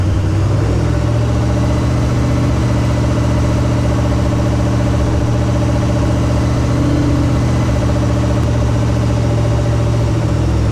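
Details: 1968 AMC Rambler American 401 V8, sitting ten years after rebuild, first start on break-in: deep steady idle with a slight lift in revs, smooth and even. Running fine but needs tuning; it got hot (about 225).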